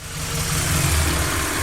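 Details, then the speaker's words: Airlift Performance 3P air suspension on a Subaru Impreza: steady droning buzz that never cycles off; the compressors keep running because air leaks from the water trap, cause unknown. "everything works but we do have a slight problem as you can hear the compressors are on because we have an air leak from the water trap"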